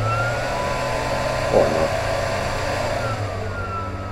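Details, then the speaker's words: Benning 1300 W 48 V 25 A industrial power supply after start-up, fan slowed from initial 100%: steady airy hum with an even low drone, no rattle or scraping, about movie-projector loudness; fan healthy. "Actually, it's not that loud. It's around the volume of a movie projector. They are quite annoying sometimes, but it's not as loud as the beginning."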